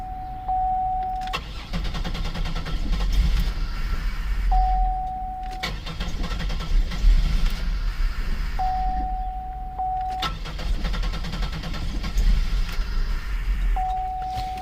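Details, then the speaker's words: 2002 Buick LeSabre 3.8L, towed in with a completely dead battery, crank no start: repeated bursts of steady cranking with a warning chime between tries, engine never fires; sounds like no fuel, fuel pump suspected dead. "sounds like a no fuel"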